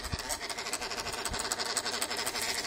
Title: Annoying sound from my MacBook, help.